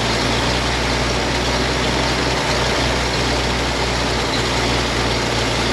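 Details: 1956 GMC 630 fire truck, 503 straight-six with carburetor, rescued off a farm, first start after priming the carburetor with fuel: deep, steady idle with an even low beat and no knocks or misses, running healthy.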